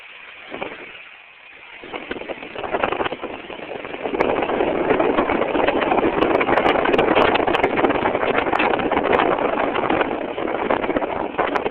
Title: 2000 Ford Windstar What could cause this ticking noise